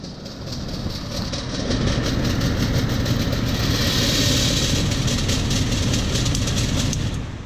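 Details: Rheem air handler blower: spins up into a loud, rough grinding with a rattling beat about three times a second. No fins were missing; the motor bearings are worn.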